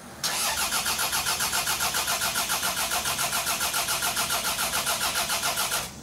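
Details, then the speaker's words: Toyota RAV4 build engine cranked at wide-open throttle (flood clear), oil level checked full: starter spins steadily at about 3.5 even beats a second, compression sounds even; a tappy top-end noise is suspected separately. "Sounds good to me. So that's bottom end, like piston wise. Yeah. That sounds all right."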